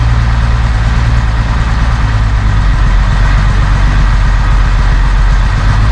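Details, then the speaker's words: 1971 Mercedes-Benz 280 SE (W108) six after its mechanical fuel injectors were cleaned and bench-tested: steady, even idle with a smooth deep beat, no missing; a little smoke, possibly running slightly rich; sounds good. "Oh yeah. No missing. I see a little smoke here. Could be running a little rich. Tell you what, sounds good."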